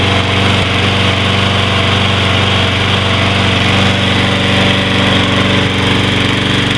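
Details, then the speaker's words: Troy-Bilt 21" mower with Briggs & Stratton 675 series 6.75 gross torque engine, first start after carburetor cleaning: a steady, even beat with no surging or hunting; the surging and lack of power are fixed. "that sounds much better I think we got the sty build fixed is"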